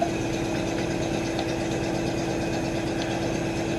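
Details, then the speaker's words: 1968 Mustang at idle: rough, lumpy idle with an uneven beat from one missing cylinder because a lifter is pumping up. "Yeah, you can hear that cylinder missing because the lifter's pumping up."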